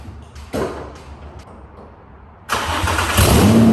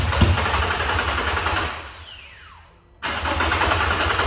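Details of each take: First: Nissan 350Z drift car with a replacement engine, started after refitting the fuel pump fuse: clunks and silence, then it fires at once into a loud steady rumbling idle. Starts and runs fine. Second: Nissan 350Z with a freshly installed replacement engine, cranked with the fuel pump fuse removed to prime the system: two cranking bursts spinning down after about two seconds, briefly catching on leftover fuel in the system.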